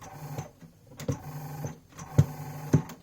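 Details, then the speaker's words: Philips FCD285 stereo system, first test: uneven clicks and clunks under a low motor hum, about two a second, from the tape mechanism struggling. "even though it still trying to do something with this said that but the sounds it makes it just quite worrying the other noise from the head"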